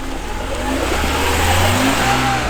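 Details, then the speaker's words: 1991 Mercedes 300E, about 200k miles, just revived from non-running: in Drive the engine revs freely with no load, like neutral, while red fluid leaks, probably transmission fluid; automatic transmission not engaging drive. "yeah the transmission is not working right now it's not working watch are you in drive I'm in Drive let me try a lower gear"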